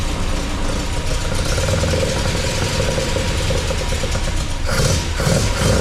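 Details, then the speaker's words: MGB with a newly installed Weber 45 DCOE carburettor (new jets, float height set, top off), first start with the engine cold. Fires up with crisp, quick revs over a slightly uneven idle; sounds healthy and very responsive, idle needs adjusting. "But that sounded sweet. Wow. And it's very responsive."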